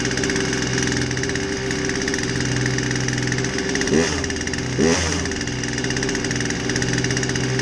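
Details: Poulan 2150 chainsaw with a won't-start complaint, after a basic tune-up with a fresh air filter: two-stroke buzzes at a steady idle, picks up cleanly on two quick blips and drops straight back; running healthy.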